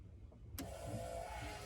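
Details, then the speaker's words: Cummins-swapped Humvee hunting rig, first start in two years on temporary wiring, fuel pump relay energised from 12 V: click then thin steady hum as electric fuel pump runs and primes, fuel heard bubbling; normal priming. "and there it goes she's running and I can hear it bubbling up over here it's priming"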